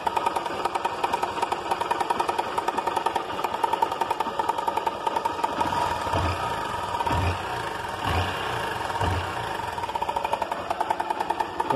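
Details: Honda Titan 160 motorcycle at idle with a fast, dry metallic rattle on start; worn, slack cam chain knocking, or possibly worn engine needing rebuild.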